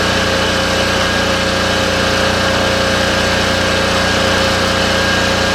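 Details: Cheap used diesel generator, air filter replaced, outdoor test after not running for the previous owner, with a light bulb plugged in as load: steady, even diesel drone, constant hum, no knocks or misses, running smoothly.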